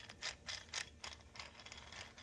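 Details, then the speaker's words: Massey Ferguson 35 Continental Z134 gas engine oil pump after rebuild, with lubrication: sharp uneven metallic clicks about four a second, gears smacking; cause unclear. "That just sounds like some gears smacking together."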